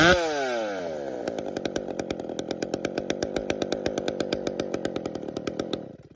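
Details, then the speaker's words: Chainsaw two-stroke at cold start warm-up: uneven, sputtering idle with ragged beat, throttle blips fall flat briefly before picking up; cold engine stumbling idle, not yet warmed. "as you could hear and the beginning it was kind of stumbly didn't want to quite idle I want to say right it would idle but wasn't smooth"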